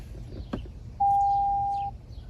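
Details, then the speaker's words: 2025 Toyota Tacoma TRD Sport Premium after the key fob was disabled by holding lock and pressing unlock twice. One steady, mid-pitched beep of about a second sounds with the warning "key not detected, check key location," and the truck won't start. "I cannot um start the truck. In fact, it's giving me a a a warning. Says key not key not detected. Check key location."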